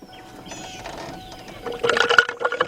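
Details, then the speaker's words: 2006-2011 Ford Focus/Transit Connect 2.0 after power steering pump replacement, engine off, wheel turned lock to lock about 100 times to bleed: gurgling, bubbly sloshing bursts as air purges from the fluid. "you hear all that air actually you can see the bubbles inside there"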